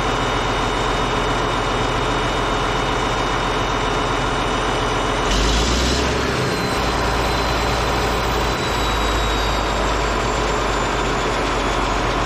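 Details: Caterpillar D8H bulldozer (46A serial, year unknown, No. 28 cable control unit) running after sitting 15+ years, once fuel reached it: deep, even diesel idle that holds its steady rumble through a brief throttle burst, running good. Normal diesel idle.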